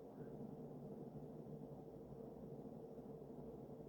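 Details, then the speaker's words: Early-mid 1980s Sears Emerson 52" ceiling fan with K-55 stack motor, on high after its nylon flywheel bushing was oiled: a soft, steady airy rush with a faint constant motor whine and no ticking or scraping; running smoothly. "But as expected, it's a good performer. It makes that sort of high-pitched motor wind that I've noticed a lot of these have."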